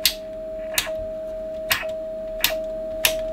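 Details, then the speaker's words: Drake TR7 transceiver: sharp crackling clicks, roughly one a second, break over a steady receiver tone, caused by a switch interrupting the signal. "I don't like any substitutes in this transceiver of this crackling noise I'm sure it's a switch"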